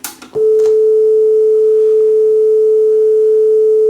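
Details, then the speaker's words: Yamaha KX300U cassette deck after cleaning the heads, pinch roller and capstan: a steady 440 Hz test tone plays slightly flat at 434 Hz, so the tape runs slow and the speed needs adjusting. "So I think this sounds a little slow. This is a 440 hertz tone, and when I heard the music there, it sounded a little bit slow."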